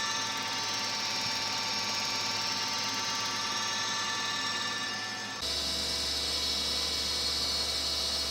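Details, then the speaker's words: Tree Journeyman 325 CNC milling machine spindle after bearing greasing, speed being increased; high steady whine with faint scraping rub that shifts with speed, noise later went away; spindle bearings on their last legs. "okay I'm hearing a little bit of a rubbing noise in there which is not good"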